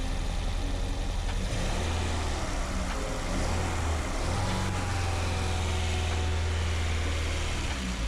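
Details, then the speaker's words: Peugeot 205 GTI restoration with ported and polished engine, freshly running: deep idle that lumps and wavers unevenly; rough idle, cause unknown, may need distributor adjustment. "Even though it's ported and polished, it should still sound smoother than this. Regardless, it's still brilliant to hear the car firing up and shouldn't be too difficult to get it to run smoothly."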